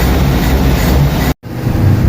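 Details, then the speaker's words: Toyota 4K engine after a tune-up with valves set to intake 0.08 mm and exhaust 0.10 mm, plus new battery, new filter and cleaned carburetor: a steady low hum with no misses or knocks, smooth apart from a brief cut. It is a quiet, well-tuned idle. "Ayan mga papo, sobrang tino. Ayan, bago battery, bago filter, na-tune up na. Ayan, napakatahimik."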